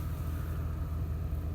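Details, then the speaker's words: 2007 diesel, 167,000 km, low on fuel, at about -20 °C; fires right up, deep steady rumble with no stumbling, missing or knocking, smooth cold idle. "just like that boys little low on fuel and she fired right up"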